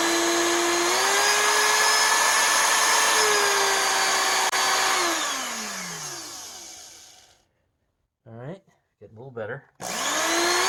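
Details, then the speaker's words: 20-year-old Oreck XL2800 vacuum motor after teardown and bearing repack: a high whine holds, winds down, then restarts with uneven sputtering. The carbon brushes are not yet seated on the commutator. "bottom line is I'm gonna run this thing and low in high speed and start it a bunch of times and see if I can't manage to use my seeding stone and get the carbon brushes which now definitely aren't seating with the commutator to actually seat"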